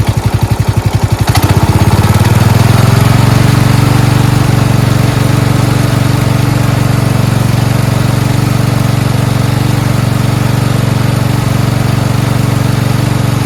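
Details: Four-wheel-steering lawn tractor "Rodimus Prime" with Nikki carburetor, after carburetor and fuel line replacement and ground fix: catches within a couple of seconds, then a steady, even single-cylinder idle with no misses or surging; normal idle.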